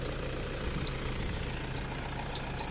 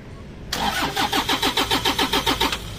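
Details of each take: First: Toyota Innova D4D diesel, formerly cranking without starting after a dog chewed the injector driver wiring, now restarted after a new injector driver module was fitted. Steady low diesel rumble at even idle, no missing or knocking; runs smooth and settled. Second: Toyota Innova D4D diesel, injector driver module wiring chewed through by dogs, before new module fitted: starter churns about three and a half beats a second for two seconds, never catches; crank no start, injector driver not working.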